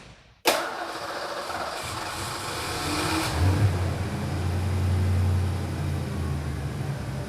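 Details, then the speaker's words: Abandoned Mustang GT V8, suspected fuel tank dirt clogging the pump sock, fuel pressure gauge fitted: fires, runs rough and uneven a few seconds, then sags and dies. "we're just gonna go ahead and start it up see what happens go for it that you no weird it died let's do it again"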